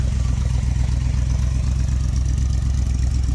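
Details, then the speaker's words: Vintage street machine V8 just started, with an oil leak from a suspected broken oil pressure sender, not yet warmed up: a deep, even idle at about four pulses a second, no knocks or stumbles; running as it should. "That's how it's supposed to run."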